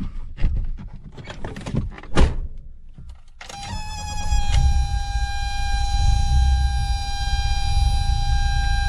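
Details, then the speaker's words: 1984 BMW E30 with M10 engine, after bypassing a failed idle control valve control box: engine starts and settles into a steady idle around 1000 rpm with a constant whine, expected to drop slightly when warm; belt squeal remains. "so i'm idling right around a thousand and it it'll go down a little bit when it warms up not much but i'm okay with that"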